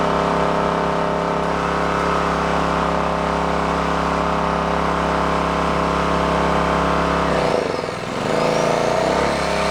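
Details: Onan K450 portable generator, yard-sale unit that sat a long time: steady even drone with brief dip near end recovering cleanly; running smoothly and healthy.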